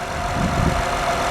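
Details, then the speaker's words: 2008 Honda Odyssey Touring, about 150,000 miles, after power steering pump replacement (old pump noisy when cold) and Honda fluid top-off: smooth steady idle with faint whine from residual air; pump now quiet. "I topped off the reservoir with Honda fluid as recommended and I've already started it up but I'll do it again and just show you a couple things as you can see it's a lot quieter now"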